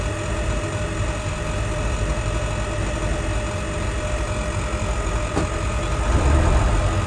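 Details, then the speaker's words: Old diesel bus (Merlin MB375 or Atlantean) idling to recharge its batteries: steady, even chugging beat with low clatter and no misses; a healthy idle. "now got to love old diesels though they're pretty simple I'll just let it run for a little bit just to put some charge back into the batteries"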